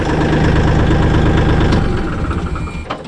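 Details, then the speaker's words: Kioti CK4010 diesel tractor that wouldn't crank, starting after replacing the faulty clutch safety switch: steady, even diesel chug with low firm beat, no knocks or misses; healthy idle after repair. "So I put mine in, pushing the clutch. Now turn. And that's the sound you want to hear."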